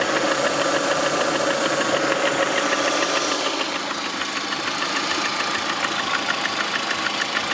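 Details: 2009 Lada Priora, 37,000 km, engine began knocking 500 km after adding Suprotec additive: steady idle with regular light tapping about three times a second over the engine note; knock, cause uncertain.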